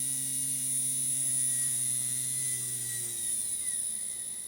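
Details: Small gear motor on a DIY diamond surfacing tool, run on a PWM controller at full speed around 12 V; steady high-pitched whine over low even hum, no knocking or grinding; normal running.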